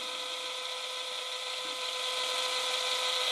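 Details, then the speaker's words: Sony WM-10 Walkman cassette player after repair, rewinding a tape: steady, high-pitched whir holding an even tone; the motor runs strong and loud, working normally. "so let's uh rewind it yes and as you see the motor is a strong and loud and it's doing its job now"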